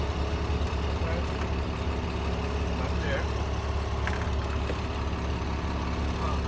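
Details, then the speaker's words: DT466 diesel school bus engine at idle during DPF regeneration with injector cleaner added: deep steady idle with uneven beat and occasional stumbles as engine ingests the cleaner; black soot expected from exhaust, warning light still on. "so you can hear that stumble yes you can hear the engine ingesting that you'll you'll get a stumble every now and then"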